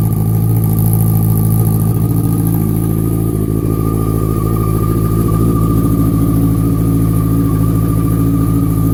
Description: R6 2004 making ticking sound from throttle body area?